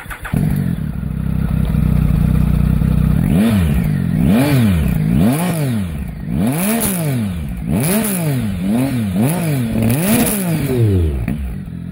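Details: Triumph Tiger with Arrow exhaust, baffle still fitted, before baffle removal for comparison: smooth idle, then quick clean throttle blips rising and falling evenly; muted, healthy exhaust note with no misfire.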